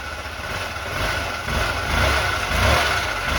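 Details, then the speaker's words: Honda Elite 80 (CH80) scooter after carb cleaning and hot-water soak of the diaphragm, warming up: putters at idle then revs cleanly and evenly, no misses or stumbles; fixed, owner unsure whether carb junk or stiff diaphragm caused it. "So we fixed the issue. I'm not sure if there was just a little bit of junk in the carb or if it was that diaphragm that soaking it in the hot water kind of loosened it up, made it more flexible. I'm not quite sure, but glad we got it running good."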